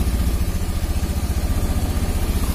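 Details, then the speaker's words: Honda Beat FI single-cylinder idling with the battery disconnected to test it. The putter is steady, even and unbroken at about eleven beats a second, a normal idle. Earlier the idle hunted and it stalled on throttle, traced to a corroded battery causing intermittent current, not the fuel pump. "Oke, sekarang coba kita lihat. Nah, normal toh, normal ya."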